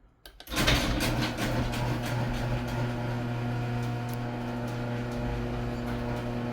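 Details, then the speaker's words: Garage door closing after lubrication with lithium grease: the opener motor hums steadily while the door rolls down smoothly, with no squeaks, bangs or scraping. The previously loud door now runs quietly. "Wow. Amazing. So quiet. Love it."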